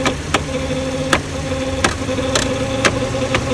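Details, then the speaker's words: Cadillac with overheating, engine idling; radiator cooling fan with bad bearings runs slow with a steady whine and irregular clicks, heard via screwdriver held on the fan; tapping it speeds it up and stops the sound. "the problem is the bearings inside this fan see now you can hear"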